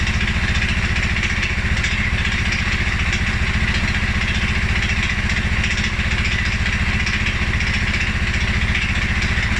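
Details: 2011 Polaris Sportsman 550 XP EFI, after riding or revving: low, lumpy single-cylinder idle with uneven loping beat and some clatter; rough idle, cause unknown: TPS, IAC, TMAP, valve clearances, timing, new plug and 43 psi fuel pressure all in spec.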